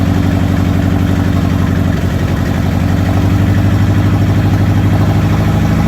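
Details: Toyota 22R-TE engine misfiring at idle: idle keeps stumbling, about four pulses a second, uneven beat with dropped firing strokes.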